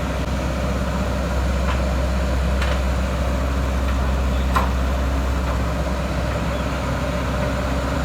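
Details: Isuzu 4HK1 diesel in a JS220 excavator, after a no-start with codes P0340, P0341 and P1345 was fixed by replacing the cam sensor and engine wiring harness: an even, steady low idle with no misses, knocks or hunting. Normal idle.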